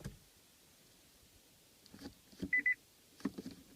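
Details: Nissan Leaf after its traction battery was intentionally run flat following turtle mode: two short high beeps as drive is selected, then nothing; the car won't engage drive, only neutral or park, steering assist gone.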